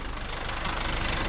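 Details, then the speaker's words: Nissan NP300 Calibre in reverse under load, heard from underneath, heavy oil spatter, gone in neutral: rapid regular knocking over low rumble keeping time with engine speed; likely internal engine knock. "Kaya talagang ito, malamang po ay engine knock po talaga yung naririnig nating problema po na yan."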